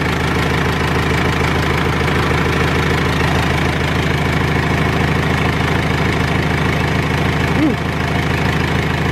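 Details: R2.8 Cummins diesel swapped into a 1997 Jeep Wrangler, first start-up with gauges not hooked up; steady even idle at about two hundred pulses a minute, soft regular clatter, no misses; healthy running engine.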